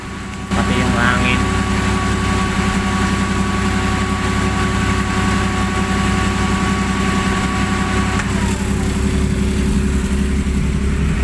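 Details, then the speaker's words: Suzuki Multicab added electric auxiliary radiator fan, after moving the screen that was rubbing and noisy: steady low hum and even airflow rush, no scraping or ticking; fan now spins smoothly and quietly. "Ayan na yung tunog niya ngayon, no? Tahimik na siya. Yung tunog na lang ng ikot ng LEC ang maririnig"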